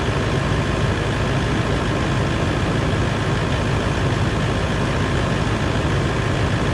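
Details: 200 Series LandCruiser diesel idling after a water pump replacement and coolant top-up, warming until the thermostat opens. Deep, smooth idle holding dead steady with no knocks, rattles or hunting. Normal idle.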